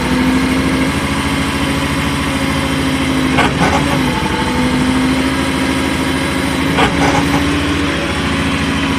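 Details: New AGT MY50R mini excavator with 11 hours: diesel idles steadily while two short harsh grinding bursts occur as the upper structure swings and stops, in either direction.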